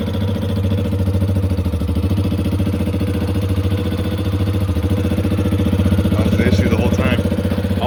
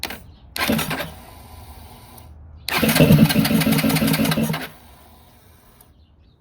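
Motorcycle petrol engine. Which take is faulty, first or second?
second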